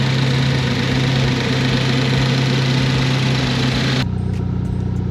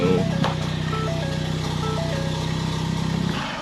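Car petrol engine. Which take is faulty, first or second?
second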